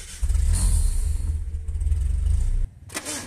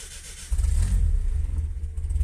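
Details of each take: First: Vehicle starter on cranking: low drone, then a whirring spin with rough slipping as the starter's bendix pinion slips on the flywheel, possibly not returning to its rest position. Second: Car after starter motor repair that cured starter-drive slipping and grinding on start: engine catches at once and settles into a steady low rumble with no grinding or slipping whine; normal start.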